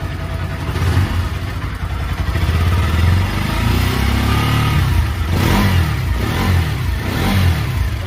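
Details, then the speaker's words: Bajaj Pulsar NS/RS/AS 200-class single-cylinder engine, after top-cover reassembly to fix tik-tik noise, revving: smooth running with only a faint light tappet tick left. Noise largely solved. "कि वे काफी हद तक हमारा यह जो शामिल है वह सॉल्व हो चुका है एंड आरएस थोड़ा सा टेपेट का साबुन रहता है पहले से ही तो यहां पर इतना साउंड वह चलेगा बट काफी हद तक जो फिक्शन वह बंद हो चुका है"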